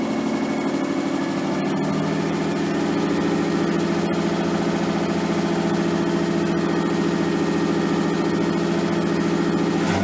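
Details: Nissan 240SX S13 with swapped RB20DET six-cylinder, first start after over a year sitting, once power was fed to the wire by the ECU and the crank angle sensor reinstalled: fast, steady, even drone, running smoothly. Idle is way too high with idle and AFR still unset; it might be burning a tiny bit of oil.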